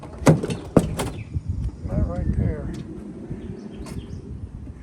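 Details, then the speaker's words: 2012 Honda Odyssey Touring Elite power sliding door: sharp pops and clunks as it starts to open, then a low motor hum; lock-release actuator behind the panel suspected, not confirmed, before repair. "The problem is when you go to open the door, it pops and it will eventually open the door, so let's give it a shot."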